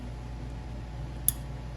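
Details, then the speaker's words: 2000 Kawasaki Vulcan 1500, 42,000 km, engine off during cam chain tensioner upgrade for chain slap: one crisp, high click over a quiet low hum as the tensioner ratchets out, normal and desired. "And you're going to hear some clicking noises, and that's what we want. That means the cam chain tensioner is expanding, and that's what we want."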